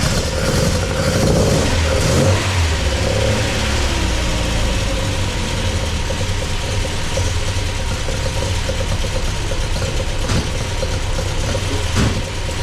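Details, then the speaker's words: MGB with a newly installed Weber 45 DCOE carburettor, engine still cool and not up to temperature. Lumpy, uneven idle that hunts after a throttle blip. The owner thinks it runs a bit rich, though there is no smoke, and that one choke seems to be doing more work than the other. "To me it sounds a bit rich, but there's no smoke coming out the back."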